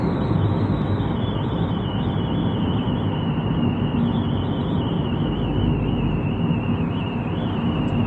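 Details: Car cabin at speeds above 50 km/h after fitting aftermarket roof rails without the gap seal strip: thin high wavering whistle over wind and road rumble; filling the roof rail gap cures it.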